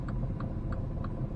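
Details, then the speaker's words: 2017 Mini Cooper S at idle: over a low rumble, a sharp metallic tick repeats about three times a second, from the exhaust pipe rattling on the tow hitch because the clearance is too tight. "the exhaust pipe rattles on the hitch and you can hear it at idle um when I looked at it the the hitch to exhaust pipe clearance is really too tight"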